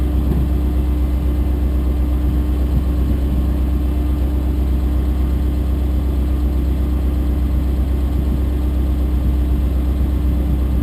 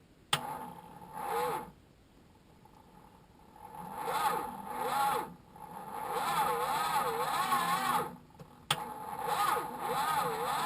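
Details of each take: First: Chrysler Valiant VJ, sat 25 years, cranking after fitting a bigger earth lead borrowed from a Falcon and cleaning it up, fuel sniffed down the carb: strong, even cranking with a deep steady drone, starter spinning the engine freely, better than before. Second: Chrysler Valiant VJ, sat 25 years, three-on-the-tree manual, first crank with ignition bridged since it won't crank off the key: laboured, wavering, slow starter cranking bursts; weak cranking.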